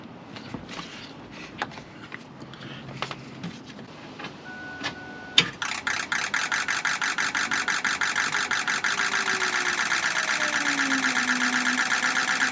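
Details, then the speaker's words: 2006 Ford F-550 6.0 Powerstroke diesel after blue spring kit install, fixing a damaged regulator O-ring that had fuel pressure at 45 psi or less, now 65 psi: starts instantly and settles into smooth, even diesel clatter; normal idle. "So we were leaking fuel bypassing that. Not good. So anyway, it sounds good now."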